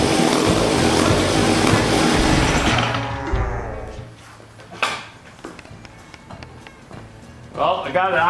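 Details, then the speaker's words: 1956 Eclipse Wasp chainsaw first start after carburetor cleaning and reed block repair: screams at a fast, busy idle well above normal, then fades and sputters, possibly running out of gas; idle speed set too high. "way too high let me back that down a little and let me open up in this high speed because I think it just ran out of gas"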